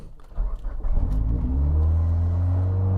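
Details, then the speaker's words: Highly modified 700 hp 2004 Mitsubishi Lancer Evo VIII with idle-surge complaint: engine catches and hangs at about 3,000 rpm idle; suspected vacuum leak with idle air control valve struggling to compensate; faulty IAC suspected. "We've got vacuum leak, and potentially idle air control is freaking out trying to compensate."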